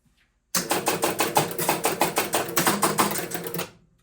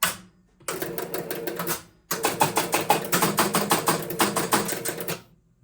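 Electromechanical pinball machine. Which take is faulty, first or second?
second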